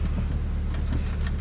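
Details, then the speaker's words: OBS Chevy Blazer at idle; deep steady hum with a thin constant high-pitched whistle over it. Owner attributes the squeal and hum to the alternator, plans to order one; one idler pulley slightly wobbly; not fully confirmed. "but the alternator is what's squealing on this thing so it's not like that I'm in wor I'm worried about it like falling apart or anything like that it's just the fact that you know it's got a little bit of hum to"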